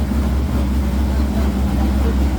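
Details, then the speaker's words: C5 Corvette V8 after taking over a stripped head bolt Time-Sert repair, restarted after finding one plug wire off: steady, even low idle rumble with no miss; all eight cylinders now firing, oil pressure good. "fired up again and's see if we get all eight this time sounds like all eight"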